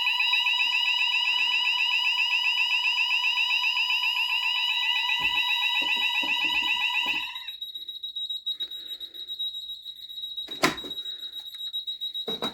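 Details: JSB FX2202 conventional fire alarm panel during a smoke-spray test of a Series 65 detector: a fast, steady pulsing high tone for about seven seconds, then stops; the sounders trigger normally.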